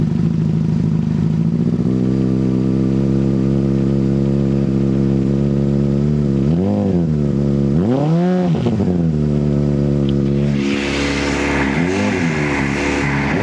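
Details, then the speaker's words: 2005 Honda CBR600RR first start after dead battery recharged overnight and refitted, fuel pump primed, bike unridden a while: loud steady high idle surging up and down twice; owner suspects sticking throttle. ">> I think his throttle has got a bit stuck."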